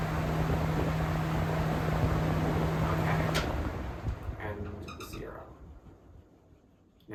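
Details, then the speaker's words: 1999 Lasko 3733 box fan after cleaning, on speed 3 (high): strong steady whoosh with even motor hum, then blades coast down quietly after switch-off; high speed normal, speed 2 is broken. "But, speed number three is okay. And it's very powerful. I can feel significant lower power compared to here."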